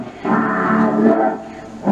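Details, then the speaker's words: 1960s Aiwa TP-719S briefcase reel-to-reel set to 7.5 ips, playing a tape recorded at 7.5 ips: music low, dragging, muffled, pitch sagging; slow playback, owner suspects something slipped or seized internally. "yeah that sounds kind of spooky doesn't it we're just gonna stop that okay so we know this is not playing at seven and a half inches per second"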